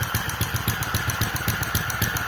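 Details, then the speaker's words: Restored Centaur model engine with electronic gas injection, ignition and electric start, running near 900 rpm: sharp regular clack about seven times a second over the engine beat from the gas injection valve underneath, plus toothed-belt whine; considered tolerable. "But it does make a noise. And also, you can hear quite a loud clacking noise from the gas valve,"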